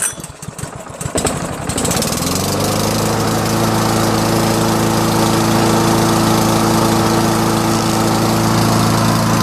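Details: Toro SR4 mower with Loncin clone engine and auto choke, first cold start in the morning: a few pulls, then catches and settles into a steady, even putter with no misses; normal running after cold start.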